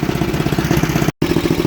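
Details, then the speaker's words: Snapper 8 hp 26-inch snowblower, fully warm, carburetor tuned: a quick, even single-cylinder putter with no misses or surging; normal idle, though the old used carburetor is running about 90–95 percent. "right so it's plenty warm I tuned it it idles great and it throttles up really good too"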